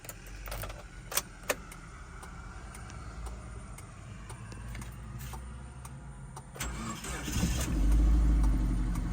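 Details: Suzuki APV 1.6 with no power: engine starts and settles into a rough idle with an uneven knocking/misfiring sound about three or four times a second; turned out the cylinder head is cracked.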